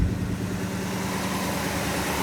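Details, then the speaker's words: 1963 Ford Galaxie 500 after coolant drain-and-fill, idling warm with the hood open at about 160 on the gauge (normally 150–180), hoses warm, heater working, no leaks; even low steady rumble with no misses, ticks or surging, normal warm idle. "We're sitting at about 160 with the hood open, which is about normally where it idles."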